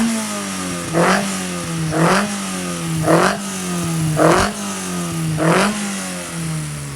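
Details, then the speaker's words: Freshly built 1120cc engine with a small big-end pin, running before its dyno run: five crisp throttle blips about a second apart, revs rising and dropping cleanly with no clicks or knocks; picks up well. "I've got to say I'm really happy with the 1120 it picks up lovely I think it's going to be strong"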